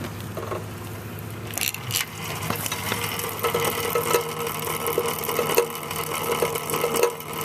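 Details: 2012 Star Trac Spinner NXT indoor cycle, noise developing after a month or two of use: rhythmic light ticking and rubbing with each pedal turn over the flywheel whir, from the chain drive under the chain guard.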